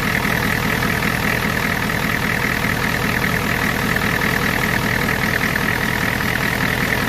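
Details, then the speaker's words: 1993 IDI diesel truck after a DIY fuel injection pump adjustment for more fuel and bleeding the lines, mic near the exhaust pipe: steady, even diesel clatter at idle with no hunting or misfire; now runs well and starts quickly. "So I just ran the truck. It runs amazing."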